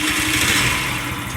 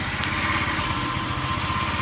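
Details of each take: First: Scrap-yard Chinese scooter with a small single-cylinder engine, carburetor just refitted, air cleaner off, catches and revs with a buzzy putter and runs on its own but slightly uneven; owner plans carburetor adjustment. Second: Scrap-yard Chinese scooter with a small single-cylinder engine, carburetor just refitted, air cleaner off, idles with an uneven, stumbling beat and irregular firing; owner says it needs carburetor tuning, cause not confirmed.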